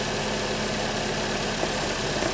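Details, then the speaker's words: Holden (Chevy) Cruze 1.8 F18D4 after head gasket replacement, first start, not yet at operating temperature: starts quickly with an even, quiet, slightly fast idle hum over a hiss, no knocks or misses; normal idle. "engine started quickly it's idling smooth it's idling a little bit fast but that idle will settle down soon enough"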